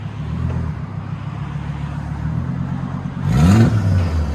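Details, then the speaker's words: Volvo S70 turbo running with its catalytic converter stolen, before straight pipe fitted: blunt raw exhaust rumble at idle swelling loudly on a short throttle blip, turbo audible; loud open exhaust from the missing cat. "And we're gonna straight pipe it, so we'll let you guys hear it in a second. This is what it sounds like before with a stolen cat."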